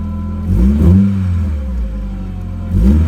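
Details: 1993 Nissan 240sx project car that needs a radiator, thermostat and belts, started on a fresh battery: catches and settles into a lumpy idle with a couple of quick revs, uneven beat; runs but needs sorting.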